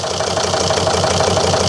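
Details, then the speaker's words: 2003 Volvo XC90 D5 diesel during an injector leak-off test: a lumpy idle with a steady knock about six times a second and an uneven beat. Cylinder 4's leak-off bottle fills immediately, showing a leaking number-four injector. "Well, I've got a Misfire. It's not the best starts."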